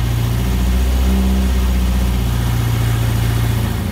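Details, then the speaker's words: Shorrock supercharged Austin Healey Sprite replica on its first-ever start of the newly built engine, choke pushed fully in; steady, even low burble with a smooth, regular beat and no knocks or misses, idling on its own: normal idle. "but that is the first start for the sherock supercharged sprite it chokes all the way in it is idling on its own now"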